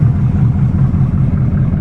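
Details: 1979 Chevrolet Camaro with a 305 small-block V8 at idle: dull, even knock repeating deep in the engine; the owner suspects rod knock.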